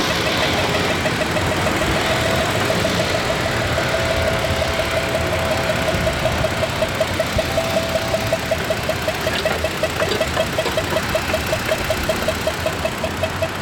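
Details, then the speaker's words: Truck that broke down on the expressway and barely ran; after a spark plug change (coil pack not replaced) it runs okay, but a sharp regular tick remains over the idle, starting with the problem; owner worries it may be a lifter. "Um but the truck is still making some weird beeping noise, but it's running okay now. Um but that beeping noise started when the problem started. So, I don't know. I mean, it I'm worried it could be a lifter or something."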